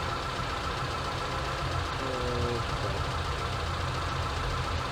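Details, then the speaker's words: ZAZ Sens with a rebuilt engine that sometimes stalls and won't restart, idling after an idle adjustment with injection about 2.2 ms: low, smooth steady hum without hunting or stumbling; normal idle. "так добре в принципі автомобіль робить добре нічого такого"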